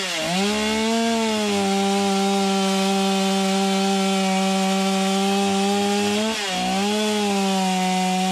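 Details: Stihl MS250 chainsaw cutting after new crank bearings and seals: a high, steady two-stroke scream, dipping briefly as it bogs under load. The grinding and rattle heard before the repair are gone; normal cutting.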